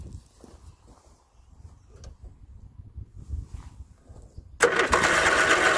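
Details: 1981 Westwood Gazelle W11 ride-on mower out of winter storage, low compression, after cleaning the fouled spark plug, confirming spark and adding fuel into the carb: quiet cranking for a few seconds, then catches and settles into a steady, even run.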